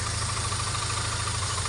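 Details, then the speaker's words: BMW E46 318 with repaired broken crankshaft position sensor, previously check-engine light, misfiring, poor acceleration and harsh automatic shifts: uneven lumpy idle with faint hiss; mechanic suspects an air leak or loose vacuum hose, typically checked with a smoke test. "Nah kedengeran ya. Iya, kedengeran. Jadi kayak ada udara yang atau selang vakum yang enggak rapet gitu rasanya."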